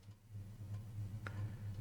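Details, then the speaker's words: 1993 Panasonic SL-S441C portable CD player, battery-damaged after years in storage, first try: low steady hum with light ticks about every half second as the disc spins and laser tracks; plays but skips. "Okay, seems to be playing. I'm a little surprised. Will it skip? It skips. I can hear the mechanism working."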